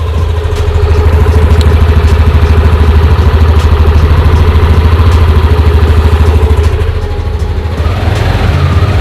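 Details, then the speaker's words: Used Yamaha Aerox 155 scooter, about 11,000 on the odometer, CVT sliders and rollers clean. Steady, even low thrum at idle with no knocks, ticks or rattles; sounds smooth, clear and healthy, with typical Yamaha engine character. "mirip suaranya mie sama freego ya Oke kira-kira ciri khas suara Yamaha kayak gitu"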